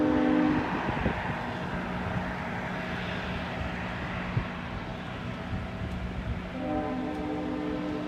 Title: A strange noise coming from a Go Train Engine 665 at East Gwillimbury Go Station